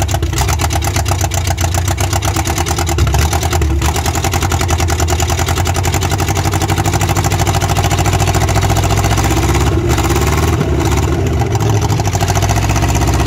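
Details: Rover P6 3500S V8, cold, first start in 15 years, on temporary battery and coil/fuel-pump wiring with points cleaned: steady, even burble with a regular firing beat and no knocking or misfire; idles cleanly.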